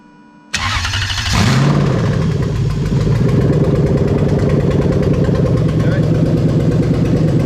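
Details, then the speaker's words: Lexus LS430 3UZ-FE VVT-i V8 on test with newly rebuilt right-hand-drive automatic engine harness, cranked via ignition wire: catches straight away, revs flare then settle to loud even idle; clean start, though random misfire codes were later cleared. "We're just going to crank it, she's going to start, and then we're going to go through there, okay?"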